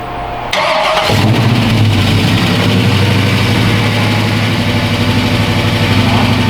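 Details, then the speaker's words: LS-swapped Chevy Chevelle V8 first start on a basic LS1 tune: short crank, then lumpy idle with a sharp puffing tick in the exhaust beat from the missing gasket at the rear header collector joint. "There's no gasket in the back over it. Yeah, we're just cheeky too. Yeah, we don't have it. Oh, for the collector? Yeah, that's what you're hearing."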